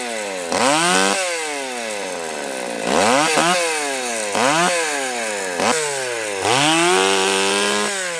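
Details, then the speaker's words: Stihl 020 AV chainsaw, after a new clutch, chain and nose-bearing bar, idle turned up once warm: crisp two-stroke revs up hard under each cut and drops back cleanly, no bogging or stumble; runs phenomenally, felling a small tree in seconds. "well I am extremely happy with this the way it is it's amazing for such a small lightweight package such a small engine and cylinder it runs phenomenally and it just decimated that little tree in in seconds really"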